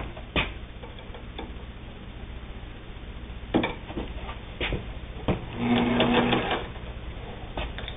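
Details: Singer 99, a three-quarter-size all-steel-drive sewing machine: light mechanical clicking and short whirring bursts from the needle drive, with no grinding or knocking; the machine runs freely.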